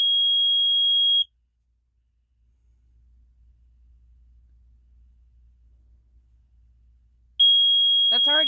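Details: Water level tool under a double/triple-wide mobile home during leveling: a steady high-pitched tone, a few seconds of silence, then the tone returns, indicating the pier is level; water level beep.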